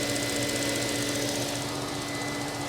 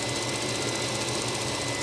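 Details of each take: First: 1999 Mercedes S420 W140 V8 just after new throttle body installation: smooth idle with light fast ticking, about three or four taps a second; cam shaft oil tubes not replaced; power steering pump needs fluid. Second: 1999 Mercedes S420 (W140) idling after throttle body replacement: steady even idle with smooth hum and faint constant high whine, no stumble; cam oil tube ticking and rattling catalytic converter still noted.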